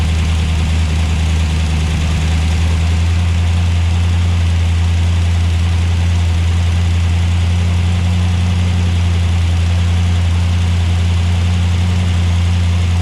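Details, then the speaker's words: Dodge Dart V8 after electronic ignition conversion, cold start on a cold day: steady deep idle at constant speed, no misses or stumbles, warming up before timing is set. "yeah they just need to get warmed up too it's really cold"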